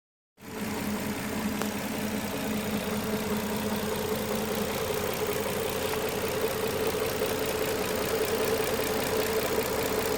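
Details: 2007 Maxima at idle: a light, fairly quick clicking of roughly two or three ticks a second rides over the engine. The source of the ticking is undetermined.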